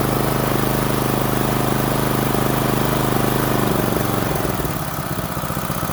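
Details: Small single-cylinder water-pump engine after in-place carburetor cleaning, air filter refitted, choke pushed back in: steady even firing about two and a half beats a second, easing down smoothly; runs fine.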